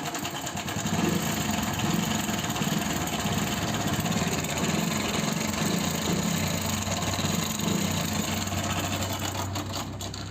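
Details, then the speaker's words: Hero Passion Pro single at idle, customer complaint of excessive engine noise: busy, loose metallic ticking and clatter riding over the engine note; timing chain suspected. "आप लोगों ने sound सुन लिया होगा sound बहुत ज्यादा engine से ए रहा है अब इस साउंड को हमको बैंड करना है"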